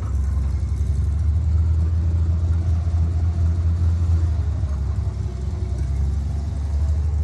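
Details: International 1-ton flatbed (stated 1947 or 1949), revived after about 50-53 years, 12-volt with replacement coil lacking required resistor; deep steady rumble, even and unbroken, no misfire or knock; normal running.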